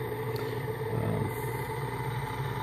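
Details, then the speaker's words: Large motor driven by a home-built PWM AC controller, sitting on a big board; steady low hum with droning ring; the mounting board resonates, making it sound louder than the motor actually is. "I got this motor sitting on this big board I tried to put it on a piece of rubber but you know this this board resonates so I'm pretty sure that what you're going to hear in this video is a lot louder than what I'm actually"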